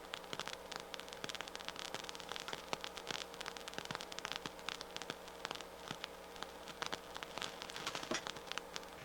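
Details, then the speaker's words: Harman Kardon 730 receiver, microphone clipped to right-channel speaker: constant hiss with sharp crackles and pops, worsening as it warms; noisy transistor, likely power supply or power amplifier problem, music still plays. "it looks like it wants to go negative which tells me that it's probably a power supply or power amplifier problem"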